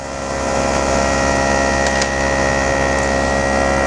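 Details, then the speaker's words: Bench test of a mid-90s GM (Cadillac Deville/Eldorado) HVAC programmer in defog mode. A vacuum pump emulating engine vacuum gives an even electric hum with a quick pulse about four per second. Aggressive but normal, no rattle or strain. "so there we go you can hear the pump changes and is quite aggressive"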